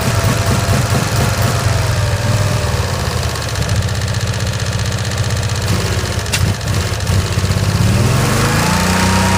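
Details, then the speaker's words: 1965 Cushman Truckster, in neutral after sitting over a year: loud, uneven, lumpy running that bogs and won't accelerate cleanly; rough running, rich, owner blames a stuck choke valve, not the throttle. "I'm trying to get that choke to let off that's the problem it's got like it's got a stuck choke valve on so it's not the throttle that's the problem"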